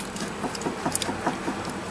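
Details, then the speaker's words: Front-end rattle over bumps: light, quick knocking as the sway bar link is rocked by hand. Its ripped rubber boot let water in and wore the joint, leaving play that is considerably louder over bumps at speed. "that little bit of play when you hit a bump, of course, at a high speed. It's considerably louder."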